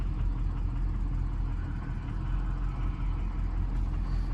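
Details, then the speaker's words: 2003 Ford 6.0 Powerstroke diesel at idle after coming to a stop: deep uneven lumpy lope about eighty a minute; IDS shows injectors 4, 5, 6 weak, jittery ICP; rough idle, cause not confirmed. "so we just came to a stop look at this power balance now you can hear it she's running like poo poo very abnormal it's like just doing all sorts of weird stuff"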